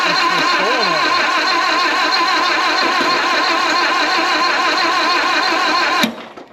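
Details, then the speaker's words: 1929 Ford Model A Doodlebug after years sitting, cranking with timing thought to be still off: steady uneven whir for about six seconds, never catches, cuts off abruptly; 6-volt starter solenoid failed, likely from running 12 volts into it, later replaced. "solenoid is toast all right well that could be because we ran 12 volts into it"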